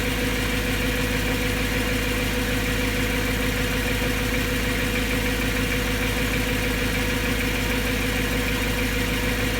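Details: BMW M3 S65 V8 idle after bearing replacement: light, quick top-end ticking over the rumble persists; source not pinned down.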